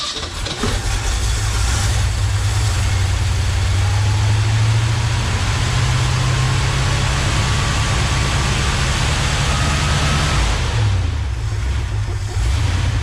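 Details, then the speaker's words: 1969 Ford F-250 old V8, sitting since 2001 with engine previously stuck, first start with throttle held open while cranking: catches into a fast, uneven idle hanging high before dropping, throttle stuck a little. "the throttle stuck on me a little bit there didn't sound that bad"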